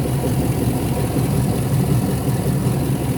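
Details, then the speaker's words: Hummer H2 with the 6.0L GM V8 idling with the drive belt removed. It runs smoothly and quietly with no rattling, confirming that the knock-like noise came from an alternator with a broken shaft. "you can hear no rattling sound engine running like super quiet and nice"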